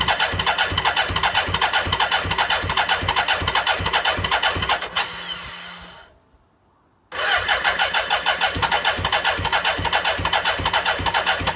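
Starter churns the engine in an even rhythm, pauses briefly, then cranks again without ever catching: cranking but no start.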